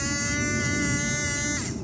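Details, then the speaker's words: Honda Acty kei mini truck windshield washer pump motor bench-tested, wired directly to the battery with alligator clips: steady, high, even electric buzz of constant pitch that stops cleanly; motor spins freely and is fine, so the fault may lie in the switch or fuse. "So I'm just gonna touch it to the negative terminal on the battery, see if the motor spins."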